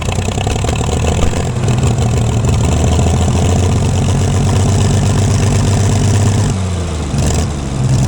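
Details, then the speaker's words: Gleaner combine gasoline engine on its first start after a carb rebuild, starter rebuild, two push rods straightened and rewiring. Old tank still holds some sludge and there is no antifreeze, so only a short run. Deep, lumpy, uneven idle that stumbles; exhaust blew out debris, owner suspects a mouse or bird nest. "haha a she runs kind of I can't run it very long I don't have any antifreeze in it but"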